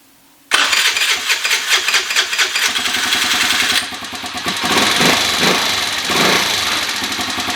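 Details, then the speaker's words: 2013 Kawasaki KFX 50 quad with the air cleaner just refitted during carburetor tuning: the small engine starts, then hunts and surges with rising and falling revs and won't idle well; owner plans more adjustment. "you can hear it here it goes so it doesn't want to idle very good"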